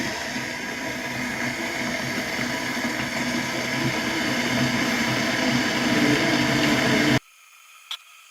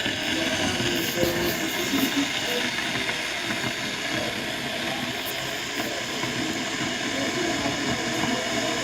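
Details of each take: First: Electric kettle after repair with new switch replacing the broken one: steady hiss builds into a rolling boil then cuts off with a click; now heats fully and switches off automatically. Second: Electric kettle before repair, switched on: steady rushing hiss and rolling boil that never cuts off; kettle fails to switch off automatically due to faulty thermostat switch.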